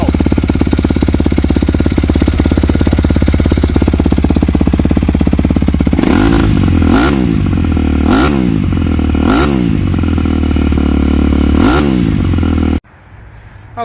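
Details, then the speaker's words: 2008 Yamaha YZ250F carbureted four-stroke single, Yoshimura slip-on with FMF Powerbomb header, hot-start button fitted: crisp, steady thumping idle, then four sharp throttle blips that rise and fall back cleanly, a normal healthy idle and rev. "so we'll go over a few things with this bike uh lots of power for a 250 uh this is still the carburated model so it didn't see fuel injection till 2014"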